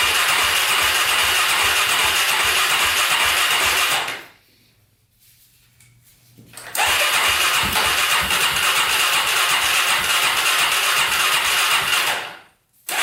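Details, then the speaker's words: Polaris Predator 500cc quad, first start attempt after compression work, carburetor on, spark, fuel and battery hooked up: two long starter bursts spinning engine with pause, never fires; cranks but no start. "all right guys second attempt first attempt did not go let's put some more gas on the carburetor try this again"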